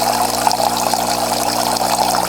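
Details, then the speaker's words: Saeco Intuita superautomatic espresso machine in test mode, pump test: steady buzzing hum with water rushing through and a faint pulsing rhythm (counted 1-2-3); flow meter LED blinks with revolutions, boiler heating element on; normal pump operation. "it pulses a little bit mhm it does it goes 1 2 three 1 2 3 4"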